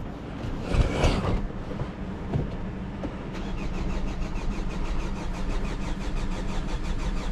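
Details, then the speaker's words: 2011 Hyundai Sonata crank no start after tapping on the fuel pump: steady cranking at about four turns a second that never catches; the pump gets power but builds no pressure, a dead, open pump. "It shows it's on, it's lighting up, but fuel pressure is not being built."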